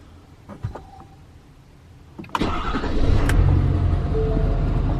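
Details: Ford 6.7 Powerstroke diesel truck started after a fuel filter change, with the key cycled about five times first to purge air from the lines: a short crank catches right away and settles into a steady, smooth idle; clean, healthy start.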